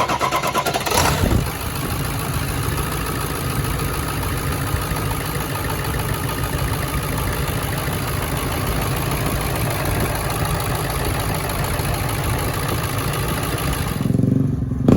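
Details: Ford Excursion 7.3 diesel, 285,000 miles, after new bellowed up-pipes and EBPV delete, first start after priming the dry turbo with oil by cranking with the crank sensor unplugged: catches quickly, steady even low idle clatter, no misses or knocks; healthy.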